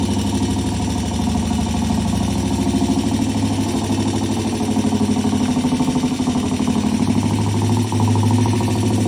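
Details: Vintage British T20M single-cylinder 200cc four-stroke race bike, which had been cold-started earlier, before a test ride. An even thumping beat at a steady idle with no knocks or misses; the bike runs as it should.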